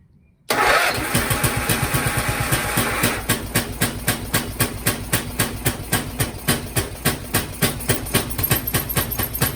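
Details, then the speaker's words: Briggs & Stratton 12hp single-cylinder on an MTD Lawnflite lawn tractor, fuel in carb, barely any throttle: catches at once, runs unevenly, slows to separate chuffs and dies; owner suspects a blocked carb jet. "Well, that's clearly fueling. Why is that dying? Oh, it doesn't like full throttle."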